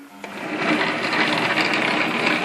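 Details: BV20 lathe test run at speed with new homemade tumbler reverse idler gear on banjo, set for 2 mm leadscrew pitch: steady, even high-pitched whirring of gears and motor rising to speed, no knocks or grinding; drive runs smoothly.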